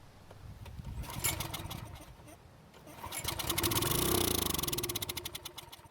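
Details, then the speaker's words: County Line tiller stored with ethanol gas in the tank, starting fluid sprayed into the carburetor throat: the engine catches, revs briefly, then dies. This confirms spark and compression, so fuel starvation from a carb clogged by evaporated fuel. "Fortunately, the engine started and ran for a second, which confirms that the engine has a working ignition system and that there's enough engine compression in the cylinder."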